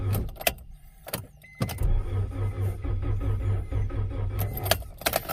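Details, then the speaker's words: 1992 Acura Integra, sat over 5 years; new distributor and starter fitted. Starter cranks about three or four pulses a second but never fires. Battery running low after repeated attempts. "Oh, I'm running the battery too low. Oh, it's not going to happen today."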